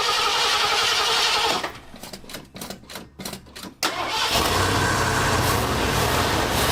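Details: 1973 Ford Ranchero V8 cranking on first start after replacing the Motorcraft 2150 carb with a cheap Chinese knockoff and changing a ground cable: hard cranking about four beats a second, then catches and runs strong, idle slightly uneven; rough idle.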